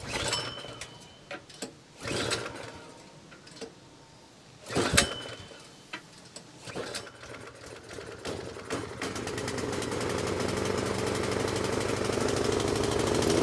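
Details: 24-inch snowblower that sat 2 years, after a quick carburetor cleaning, on choke and primed: a few pulls and brief catches, then it fires and builds into a steady, even run. It starts and runs fine, with slight smoke and dark, amber-looking fuel.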